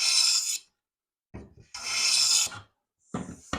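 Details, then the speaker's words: Old Stanley hand plane being set up, taking fine shavings against the grain; crisp, even hissing strokes about a second apart with no chatter or skipping, cutting cleanly. "all right so we're getting fine shavings Against the Grain"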